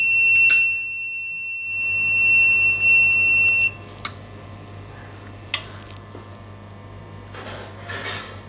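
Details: APC SRT 5KVA UPS, steady high-pitched alarm tone for nearly four seconds then silenced, flagging DC soft start fault P.16 (event code 125) during rectifier diode voltage checks; UPS DC soft start fault alarm.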